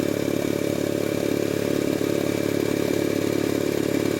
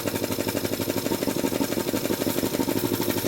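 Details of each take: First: Jenny K-style pump 2 hp compressor with a failed unloader, pilot valve clogged by oil debris from storage: steady, even rapid thumping about three and a half beats a second, no knock or hiss, building pressure normally before short cycling starts near 50 psi. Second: Jenny K-style 2 hp air compressor pump builds to about 50 psi, then the pilot valve, clogged with oil debris, won't unload the head, causing rapid machine-gun chatter about three beats a second; short cycling from a failed pilot valve.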